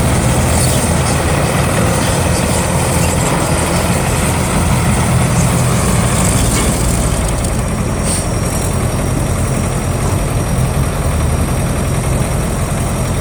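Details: GAZ tracked all-terrain vehicle after repair: steady heavy engine drone with an even low rumble and no knocks or rattles; the engine is running normally.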